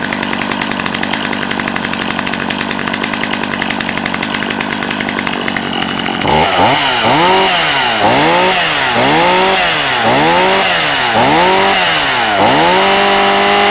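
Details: Stihl MS250C chainsaw, 16-inch bar, in good shape, Easy Start model: steady high idle, then crisp throttle blips about once a second rising and falling cleanly; normal healthy running.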